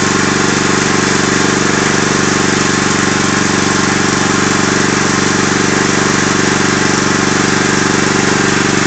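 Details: Agros walk-behind tractor single-cylinder petrol engine: steady run with regular tapping about four times a second riding on the exhaust beat, clearest after one minute; knock, cause unknown.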